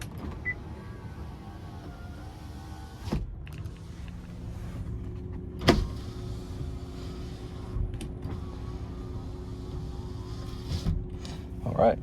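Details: 92k-mile 2011 Honda Odyssey EX-L VMI Summit wheelchair van: power windows run with a smooth even motor whir for a few seconds at a time, clean starts and stops; working normally.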